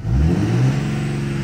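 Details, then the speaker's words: 2003–2007 Cummins third-gen common-rail diesel, low rail pressure fixed, blipped in neutral with no load; deep rumble rises and returns promptly to steady idle, rail hang gone; batteries low. "I'm gonna just rev it in neutral notice how the rail hang is gone now too"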